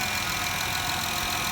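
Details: 2013 Honda Pilot at 150k miles idling after timing belt, valve adjustment, radiator and power steering flush: steady even idle with bright hiss, clicking gone, slight power steering whine from air.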